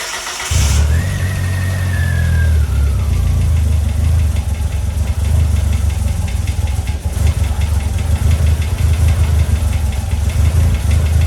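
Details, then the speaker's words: DSM Eagle Talon, first start after a 12-year full restoration: fires quickly and holds a deep, loud idle that wavers slightly in speed; idle unsettled, idle bypass screw later adjusted. "it definitely had some issues, we'll call it, but some of it I knew I'd have to do as far as tweaking a bit too."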